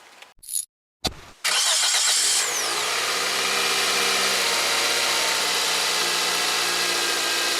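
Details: 2001–2008 Toyota Corolla (9th gen), right after starter motor replacement and battery reconnection: brief cranking, then the engine catches promptly and settles to a steady idle; healthy start.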